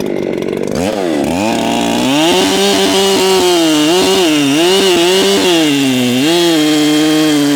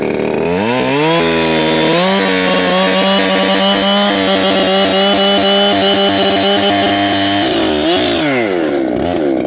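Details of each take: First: Ported Echo CS7310P chainsaw with 20-inch Sugihara bar at high revs: slight burble breaking the scream, still four-stroking a little as the carburetor is slightly rich; could be leaned out, needs adjusting as it breaks in. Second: Ported Echo CS7310P chainsaw, newly tuned and still breaking in, 20-inch Sugihara bar and chain, cutting hard maple: high steady two-stroke scream barely sagging in the cut, still four-stroking slightly; healthy saw.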